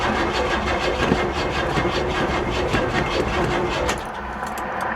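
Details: Old, long-unstarted car at an insurance auction, cranked from a battery pack: it turns over slowly and evenly at about 2.5 beats a second without catching. The engine is suspected to be tight from sitting.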